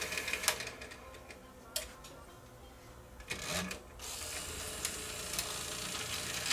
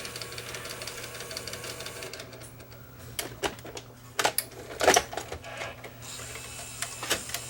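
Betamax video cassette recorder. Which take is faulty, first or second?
first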